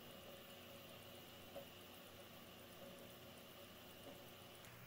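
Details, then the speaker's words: Original Prusa MK3 3D printer printing normally in normal (non-stealth) mode with part cooling fan on: quiet steady fan whir with faint stepper motor chirps. "how quiet is this printer well this is with the part cooling fan on"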